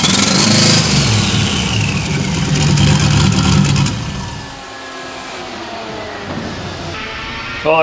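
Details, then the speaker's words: 1992 Silverado with a turbo 5.3 LS swap and 5-speed, previously over-fueled with fouled plugs: the V8 catches and settles to a steady, slightly lumpy idle with no rod hammering. Normal idle, no rod knock. "runs and it's not hammering rods so that's a plus"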